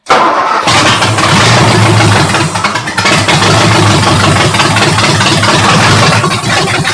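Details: Ford 272 Y-block V8 first start, rebuilt Holley carburetor with bowls filled by hand from a soda bottle, no coolant: loud, ragged, surging beat sagging toward the end; fuel starvation, fuel pump still needed.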